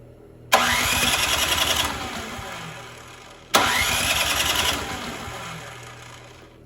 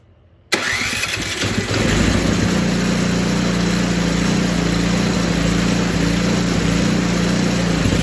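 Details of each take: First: Poulan Pro 961980056 24-inch 208cc snowblower, won't start after sitting, fuel of uncertain age, primed and given starting fluid: engine catches twice, revs briefly, then dies within two seconds each time; fuel starvation, carburetor issue suspected. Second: Poulan Pro 961980056 24-inch 208cc snowblower after carb cleaning, new primer bulb, fuel line and fresh gas: starts after short crank and settles into a steady, even idle with no misses; running normally.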